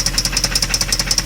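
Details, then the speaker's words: Jaguar engine with a persistent knock after a cheap high-mileage oil change and Dura-Lube additive, run for a while: sharp regular tapping, about ten a second, loud over a steady idle, barely improved; engine knock at idle. "nope that still sounds like crap"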